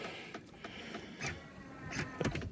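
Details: Chrysler Town & Country power folding seat: short bursts of electric motor whir with clicks and knocks while the seatback never rises; mechanism jammed.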